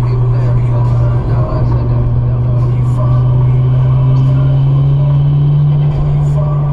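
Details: Toyota JZX100 with 1JZ engine driving laps on the C1: steady engine drone under road noise with a brief uneven stumble near the start, an intermittent misfire under load.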